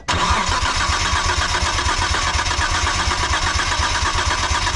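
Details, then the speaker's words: 1998 Mitsubishi 3000GT VR4 compression test, cylinder 1: starter cranks at steady even rhythm with no catch; normal cranking, about 144 psi, good (cylinder 3 about 130, cylinder 5 about 118). "good looks like we're hitting just under 150 I'm probably right around 144 or so so this cylinder seems to be very good"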